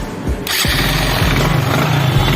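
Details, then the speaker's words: Hero Super Splendor motorcycle after self-starter repair (earlier went "kat kat" on pressing start; carbon inside starter motor noted as a cause): short starter whirr, engine catches within half a second and settles into an even idle; normal electric start. "Self तो आप ये सुन पा रहे होंगे दोस्तों। तो हमारी bike start हो गई है सेल्फ से ही।"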